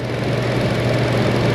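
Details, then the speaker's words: Car with earlier lean code, after air-fuel ratio sensor work, battery-terminal reset and scan-tool fuel trim reset: steady low, even idle with no stumble, miss or tick; now working properly. "This thing looks like it's working now."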